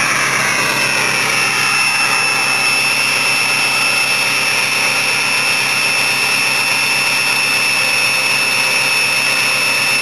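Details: Ford 6.0 PowerStroke diesel truck that sits through winter, cold start: smooth even fast idle with steady high turbo whistle on top; normal cold-start high idle.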